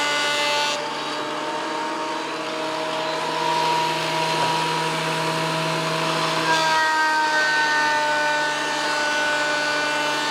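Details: WEN PL1326 15-amp 13-inch spiral benchtop thickness planer, after repair of misuse damage (replacement knives and bevel gear set used), planing a bigger board over several passes: steady whine with an even cutting roar, no chatter or knocking; cuts smoothly, within 0.002 in thickness.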